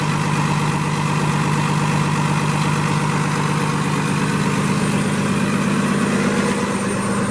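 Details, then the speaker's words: 2017 Freightliner M2 106 flatbed truck, Cummins ISL diesel (300 hp) with Allison 6-speed automatic, 198,000 miles, idling after start-up: deep, even diesel rumble with a regular firing beat, no knocks or misses; normal healthy idle. "Cummins ISL 300 horsepower with an automatic Allison transmission, 6-speed. Beautiful unit, folks."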